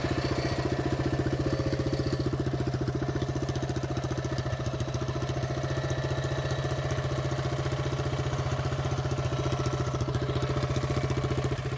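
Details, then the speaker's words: CT200U go-kart/minibike single-cylinder engine at idle after fitting a custom exhaust pipe and stage 1 cold air intake: quick, even putter with crisp regular pulses, no knocks or misses, surprisingly quiet; normal idle. "Okay. That sounded pretty good actually. Start up again. Damn, that's pretty good. It's actually pretty quiet, to be honest."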